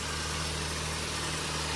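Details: Nissan Sentra B14 EX saloon, running after the crank-no-start fault was repaired: even low idle hum with no misses or knocks; runs smoothly but still needs a street tune.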